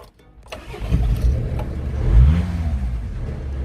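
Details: Vehicle that wouldn't start after its coil warning light failed to come on, fixed by grounding the relay wire so the relay clicks and the coil light works; a click, a short crank, then it fires and revs to a steady run.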